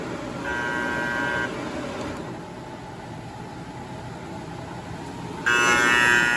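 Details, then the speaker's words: Kyungdong Navien agricultural dryer, E-1 overheat: two steady high buzzing bursts of about a second over low hum; sensor is fine, the bimetal temperature safety switch tripped and cut power, which won't reset by power cycling. "이게 온도 스위치 이게 떨어지니까 이게 전원이 이게 차단돼서 이게 경고가 울리니까."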